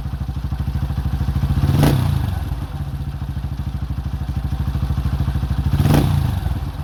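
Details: 2005 Honda CRF150F, a former no-start that then wouldn't idle (a carb issue), after valve adjustment and carburetor tune-up: even single-cylinder thumping with two quick throttle blips that rise and settle cleanly; runs healthy.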